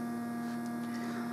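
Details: Homemade tape recorder playback preamp sharing one power supply with the tape motor: steady low buzzy electrical hum under everything while motor turns; fix planned is capacitor across preamp supply rails plus in-line resistor to smooth power.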